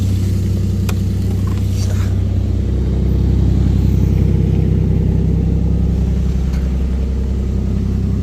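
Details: Toyota 1JZ engine in a Nissan Silvia S15, about 2000 km after a poor rebuild, with glitter in the oil, on first start: a steady rapid metallic knock at idle, about two to three per second, pointing to internal bearing damage.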